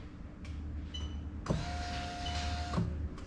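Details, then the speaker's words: SC430 3UZ-FE VVT-i V8 swapped into IS200 LHD with J160 manual, fuel pump actuated via OBD2 relay test: click, even high hum just over a second, click as it stops; pump runs normally. "as soon as i press this arrow you're going to hear the relay click and the pump start running"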